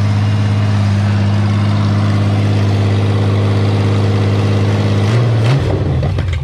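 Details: After rewiring (extending) the fuel pump wires damaged by dogs and priming the pump, the engine starts and runs with a steady, even drone, no misses or knocks; water pump giving good pressure, WD40 burning off.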